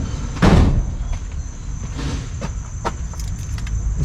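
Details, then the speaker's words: 1964 Ford 289 in a 1962 Mercury Meteor, first start attempts with gas fed in: cranks with ragged coughs and sputters but never runs steadily; ignition timing suspected, possibly condenser. "this is definitely a timing problem it's got to be a timing problem sounds like a timing"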